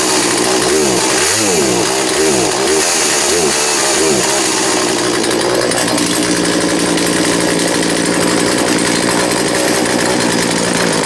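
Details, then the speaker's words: Poulan 42cc chainsaw after complete teardown and rebuild, first start, fuel mixed heavy in oil for break-in: revs sag and struggle when held at full throttle; owner suspects bad gas: bogging under full throttle. "You can hear it's still, it's got some bogging when you give it full throttle. Maybe some bad gas."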